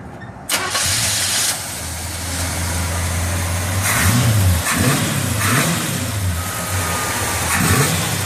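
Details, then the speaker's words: 1958 Chevy Apache pickup with a new GM crate V8 and a new automatic transmission: quick crank and catch, then a deep, steady burble with clean throttle blips. The engine sounds healthy on start and idle. "Let's start the engine up and hear it there."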